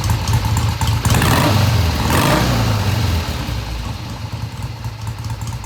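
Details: 1971 Triumph T120 650cc twin after carb tweaks of about an eighth turn: clean idle rising smoothly into a mid-range rev and dropping back without stumbling or hesitation; smooth idle and revving.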